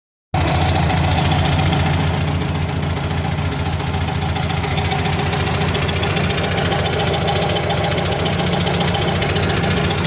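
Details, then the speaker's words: 1977 VW Brasília at idle: a sharp, steady metallic valve tapping on one side, roughly three or four per second, that at times sounds like a connecting rod. "o que acontece com ela é o seguinte a gente tem um barulho de válvula batendo do lado de cá que dependendo da hora até parece ser uma uma biela"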